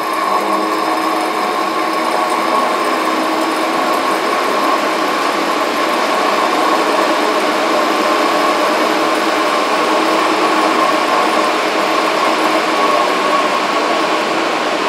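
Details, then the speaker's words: Hengli HSA1505 belt furnace cooling section with blowers ramping up: steady airy blower roar with constant mid-pitched fan whine, even and unbroken; cooling blowers running normally. "And then the cooling, you can hear the blowers ramping up, the fans."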